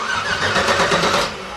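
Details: LS-swapped S10 Blazer, first start attempt, engine strapped down, battery terminals clamped on, starter signal wire jumped: short loud burst of cranking dropping off after about a second; starter engages and turns engine over fine.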